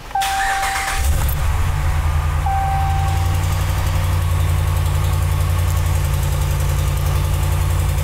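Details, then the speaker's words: 2013 Dodge Ram under diagnosis for a LIN bus fault (U1009-00): engine cranks, fires and settles into a loud, puffing idle from an exhaust leak. "listen to that exhaust leak"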